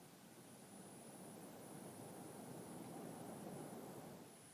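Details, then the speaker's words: Laptop with steady airy rushing and a constant high-pitched whine from the middle under the keyboard, heard even without the AC adapter, worse when gaming or opening several websites; owner thinks it abnormal. "button yeah this sounds very annoying and i don't think it's normal"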